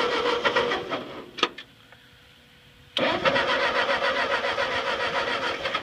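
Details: Ford 8N tractor that sat 4-5 years, with the carburetor drain bled, choked: steady cranking, a pause, then more cranking with uneven firing that never builds to a run. A fuel drip is present.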